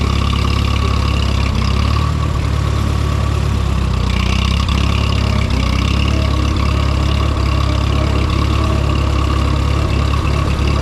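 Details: Minneapolis-Moline M5 tractor idling cold on a 25-degree morning, hydraulic oil thick; deep steady low rumble, even chug, no knocks, misses or rattles while warming; oil pressure good, charging; healthy.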